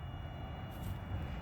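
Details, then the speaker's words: Mercedes W108 fuel line flush, tank feed line disconnected, electric fuel pump battery-powered on a dried-up system: thin steady high whine over low background rumble; pump running normally and pushing fuel. "You can hear the pump is running already. So we should be sucking fuel here."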